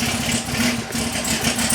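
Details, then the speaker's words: 2020 Camaro 1LE V8 just fitted with a TSP EL C7 cam, Speed Engineering longtube headers and stock NPP exhaust, started untuned: loud, uneven, loping idle. It has oil pressure and no leaks, and the rough idle is attributed to the missing tune. "Right now it's untuned, that's why it sounds, the idle's all messed up."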